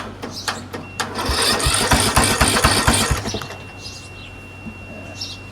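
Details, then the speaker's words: Craftsman 13.5HP 30-inch rear-engine riding mower cranks rapidly and evenly for about two seconds, then fires and settles, after the faulty solenoid was dealt with and a borrowed battery fitted; normal cranking and start. "Here we go. Turn it on and it cranks."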